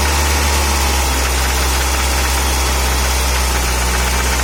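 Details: Audi 80 Abt engine at idle: steady running with a rough, uneven knocking at about four per second. The source can't be found, and the spark plugs need changing.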